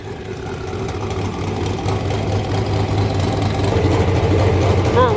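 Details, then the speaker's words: 331 cubic inch small block Ford V8 with aluminum AFR heads and a Quicktime turbo kit with an eBay 7875 turbo, open exhaust with no mufflers. Loud choppy cam lope at idle, then a clean rev with rising turbo whistle, no leak ticking. Normal lumpy cam idle. "for a race car it's awesome not so much for a street car uh but it did sound super good you could really hear the cam chopping"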